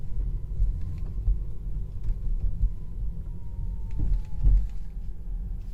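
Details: Tesla Model 3 Long Range AWD Performance driving with AC and music off: loud high whine under acceleration and regenerative deceleration, in sport and chill modes and even with low regen; began weeks after purchase.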